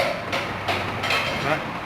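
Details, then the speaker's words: Chevrolet Corsa with about 97,255 km, front wheel rocked by hand: four dull metallic knocks, roughly two a second, from a loose shock absorber bolt causing the suspension clunk. "olha o parafuso solto gal flor é que ele está só tentará frusta é isso aí"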